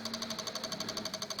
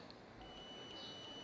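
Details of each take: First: Microsol NG2 voltage stabilizer (110-220 V input, 110 V output) powering a soldering iron: fast, steady relay clicking, about eleven a second, as the output voltage oscillates; cause a faulty relay and a bulging capacitor. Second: Multimeter continuity test on a relay from a Microsol NG2 voltage stabilizer (110–220 V in, 110 V out) with oscillating output; steady high beep across common and normally-closed terminals shows the closed contact conducting, relay good.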